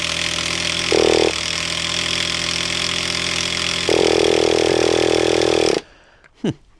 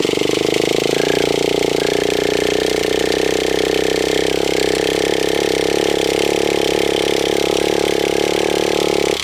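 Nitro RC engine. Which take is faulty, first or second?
second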